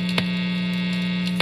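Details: Electric guitar, neck pickup, phone about one foot from the amp, tinfoil held over the pickup: constant low buzzing hum with two small ticks, level never shifting; radio frequency interference hum, unaffected by shielding.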